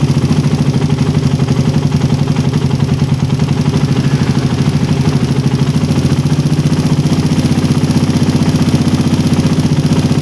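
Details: Single-cylinder engine with a PE28 carburettor (swapped in for a PWK 28) at idle, air screw set by the first (idle) method to 2.5 turns out: a steady, even putter that holds speed without hunting or stumbling, so the mixture is right.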